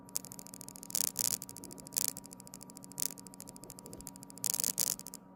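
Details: Samsung Galaxy S25 Ultra camera: fine buzzing rattle with sharp crackly bursts about once a second over a faint hum while focus shakes badly; faulty camera module.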